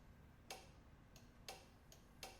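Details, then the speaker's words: 1983 BMW R80 with a somewhat low battery (below 12.4 V), ignition on, in neutral, choke on: a few sharp, isolated solenoid clicks with no cranking. It is unsure whether the battery is weak or the starter has failed. "Can hear the starter solenoid clicking. And that's about it."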